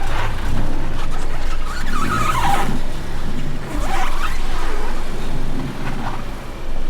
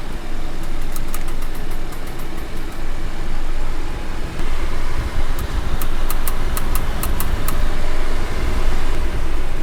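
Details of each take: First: Car driving after wheel clicking fix (wheel and brake disc faces cleaned with brake cleaner, wheel refitted with nuts tightened in star pattern): steady road rumble at speed, no rhythmic ticking from the wheel; loud clicking fully gone. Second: Sharp clicks in quick bursts over road rumble while driving, from a wheel not seated flat on the disc. The loud clicking was cured by cleaning the wheel and disc faces with brake cleaner and refitting with star-pattern nut tightening.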